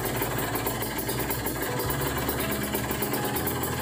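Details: Kawasaki Ninja 150 RR with racing exhaust, carburettor rejetted to pilot 25 and main 270 after dirty-nozzle misfire, idling around 1000 rpm: steady, even, quick regular beat with no stumbles or skips. Normal idle, no misfire.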